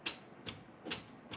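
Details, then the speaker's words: Furnace gas valve clicks with sharp, dry clicks about two and a half times a second when the thermostat calls, but no gas comes out when the valve is opened, even with the pilot on; owner suspects a bad valve or thermostat. "It's clicking. But when you open it up, nothing comes out. Like I just opened up the gas valve here. Nothing."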